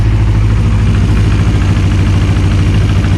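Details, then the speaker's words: Kawasaki Ninja 250 CCS 300 race build, just started with the radiator off, run only briefly. Steady, even low idle pulsing about 200 beats a minute with no misses, knocks or valve noise; heat on both cylinders, so both are firing cleanly. "feel heat there on that side i feel heat build on that side so we are idling on both jugs"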